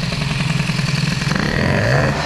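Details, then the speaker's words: 103 moped with hybrid air-cooled Airsal 65 kit, running after jetting down from a 58 to a 45 jet: revs rise with a soggy, uneven burble and rough beat instead of a crisp climb; two-stroke still too rich and loading up. "45 et c'est trop gras avec un... ben là, ça s'engraisse."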